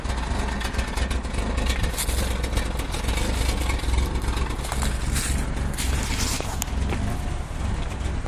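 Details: 1994 Mazda 323 with a low, uneven idle and a shaky, lumpy beat even though idle speed holds steady; rough running, cause not yet pinned down.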